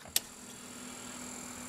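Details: Rebuilt Sanyo M9935K boombox: sharp click of the play key, then a soft, steady motor hum and hiss as the cassette transport runs.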